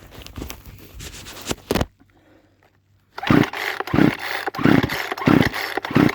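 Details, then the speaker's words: Poulan Pro chainsaw, carburetor tuning likely over-adjusted by previous owner, idle screw just lowered: idle comes in uneven surges about ninety a minute, chain keeps moving instead of stopping; owner suspects over-tuning causes chain creep. "all right so it seems like the previous owner might be tuning this and and might be playing around with this like way too much that's probably causing that chain to keep on going as you were hearing and stuff"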